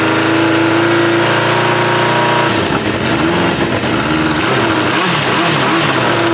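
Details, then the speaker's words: 1986 Kawasaki Ninja 600R being revived: rough, lumpy idle with an irregular beat and a wavering tone. Owner thinks it is running on three cylinders and also has an exhaust leak; neither is confirmed. "Seems to me like it's running on three cylinders. Uh, seems like it also has an exhaust leak."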